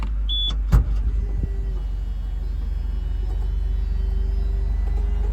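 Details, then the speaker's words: Mitsubishi Colt CZCT convertible (4G15T MIVEC turbo) after sitting with a dead battery: a clunk, then a steady, even-pitched low electric motor whine as the roof goes back up; roof works, no leaks, drive sounds healthy. "seems to be working all right so no leaks and the roof works"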